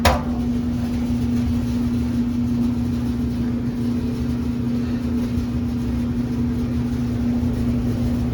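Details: Whirlpool electric dryer model LER4634PQ0 after replacing the thermal fuse (WP3392519) for a won't-start fault. A steady, even hum with a low drone and drum rumble, no squeal or knocking. Normal running.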